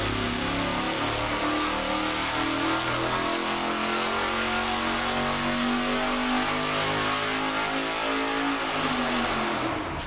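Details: Dodge motorhome 440 big-block V8 on the dyno after a carburetor jetting fix, full-throttle pull from 3500 to 6500 rpm: strong, clean, steadily climbing note with no misses or knocks; engine healthy, minor tune-up improvements possible.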